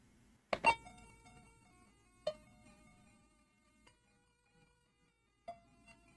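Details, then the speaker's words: Refurbished Commodore 64 playing SID music (Donkey Kong Arcade via EasyFlash) after a diagnostic test; power level still not ideal; clean chiptune notes and chimes with no buzz, crackle or dropouts; SID sound chip working properly. "And that all sounds good as far as I can tell. So it looks like we have a working machine."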